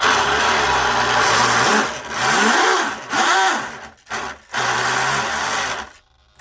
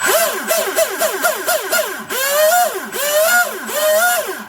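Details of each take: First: Twin Leopard 2860 2730KV brushless motors with OSE 90A ESCs on RC drag boat, first test after reversing starboard motor: whirring tone rising and falling with throttle under a loose uneven rattle; props not tightened, drive dogs not yet set. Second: Twin Leopard 2860 2730 kV motors on OSE 90A ESCs in an RC drag boat, about 30,000 RPM each on 3S: clean high whine rising and falling in quick bursts, no grinding or rattle, stuffing tubes cool; drive healthy.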